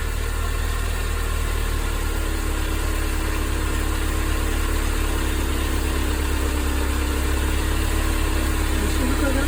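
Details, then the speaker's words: Mercedes-Benz 190E 2.0 (W201, M102) after replacing belt tensioner, damper and belt: smooth even idle with steady low drone, no squeal, chirp or rattle; belt tension fine. "Encendí el motor y verifiqué si la correa estaba floja. Parece que no hay ningún problema."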